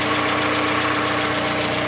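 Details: Mazda CX-5 Skyactiv 2.5 cold start while warming up: light, quick, even ticking knock over steady cold idle, beginning around 50 seconds after start and later stopping, engine then quiet; source unclear, owner asks if normal.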